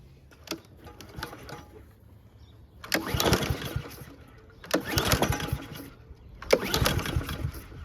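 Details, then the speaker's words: Husqvarna HU700H self-propelled mower with Honda GCV160, unrun for 3+ years: it catches in short surging bursts, then dies, bouncing off the governor as if on choke (auto choke later found open); starts then stalls. "Tried. Started and died. Okay, so it's kind of bouncing off the governor and it's almost acting like it's on choke the whole time."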